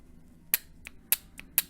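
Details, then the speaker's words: Honda/Acura automatic transmission linear solenoid (P0747, no reverse, D5 blinking), bench-tested on 12 V battery after removal: three crisp clicks, solenoid moving and working correctly before cleaning with brake cleaner. "it's moving so the solenoid is working correctly"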